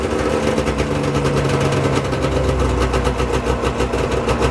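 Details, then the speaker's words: Arctic Cat ZL600 two-stroke snowmobile, first run after top-end rebuild: even, steady two-stroke burble at settled idle, no knocks, misses or hunting; runs good, normal idle. "i'm gonna shut the seeder off before i [ __ ] blow up but uh seems pretty good runs good"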